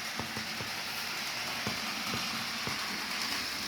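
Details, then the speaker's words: HO-scale 2-10-10-2 locomotive built from Rivarossi 0-8-0 chassis, dual 5-pole skew-wound motors, first test run: faint uneven light ticks, about two per second, over motor hiss; rod or wheel tapping, owner suspects super glue on a wheel. "it's got some Rod tapping or some wheel tapping that could be super glue on the one of the wheels"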